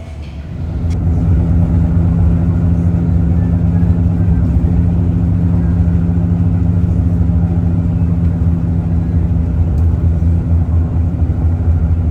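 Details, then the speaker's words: Inside a Hino RN bus (Adi Putro Jetbus 2 HDD body) cruising on the toll road near Singosari: deep steady droning hum with vibration felt at the feet; source being searched for, not found. "Ini aku dari t nyari nih berisiknya dari mana karena ini sampai kakiu aja itu bergetarnya lumayan banget nih teman-teman mungkin teman-teman kalau ada yang pakai headset atau earphone bisa mendengar jelas suaranya berdengung sekali di dalam"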